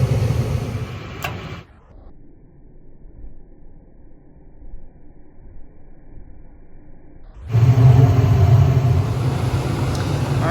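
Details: Attic gas furnace after repair of the only-one-burner-lighting fault, with gas pressure set just under the 3.5 spec. Near silence, then a soft whoosh as the burners catch and settle into a steady low roar; clean normal ignition.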